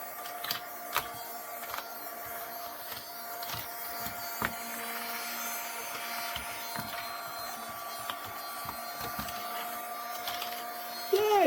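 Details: Battery-powered Vivitar mini desktop vacuum on an old, dirty keyboard: a steady high-pitched motor whine with light tapping from the nozzle on the keys. The small motor runs evenly and sounds fine.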